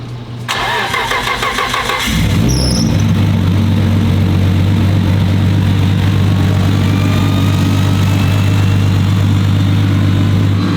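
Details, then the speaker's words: Freshly built 1500 hp Nissan Skyline R32 GT-R engine: a couple seconds of starter whirr, then fires and holds a smooth steady low idle, no misses or knocks; sounds healthy, normal idle. "Sounds healthy. Sounds good."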